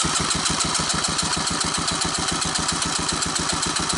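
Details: 1984 Honda ATC 200ES, low compression (about 30 psi, 60 wet): throttle slide out for compression test, even starter churn about four strokes a second, no firing.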